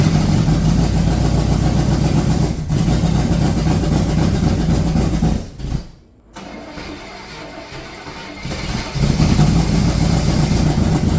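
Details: Rebuilt Corvette engine on its first start after valves stuck open from rocker preload were fixed by lifting rockers 3/4 turn: cranks, catches into a lumpy, uneven idle that dips and nearly stalls; rough running, cause unknown, more fuel suspected.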